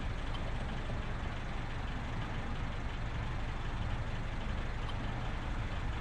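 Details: Honda Civic turbo build (cheap eBay turbo), first start after a year of building, idling with the oil line draining into a cup. Constant low rumble with no misses or knocks and an even idle.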